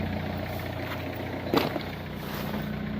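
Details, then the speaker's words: 2002 Renault Clio diesel, restarted after about 3 years parked, idling: steady, even diesel clatter with low regular beat, no knocks or misses. Normal diesel idle. "it's been running about 5 minutes now doesn't sound like there's anything wrong it sounds like it's usual clattery cell"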